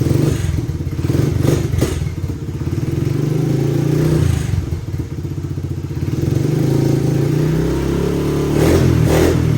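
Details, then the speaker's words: Honda CRF70 after intake, emissions delete and full exhaust install, started cold and warming up: deep quick single-cylinder thump stumbles at first, then settles to a steady even beat; normal warm running. "There we go. Now it's awake."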